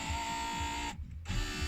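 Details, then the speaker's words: 2000 Land Rover Discovery TD5, door panel off: power window motor whirs evenly, pauses, then runs smoothly again, worked from the front switch and then the window switch; windows and switches had not been working but now work normally after minimal intervention. "That's from the front switch. yeah, then can you show them the back switch? That's from the window switch. Everything now works."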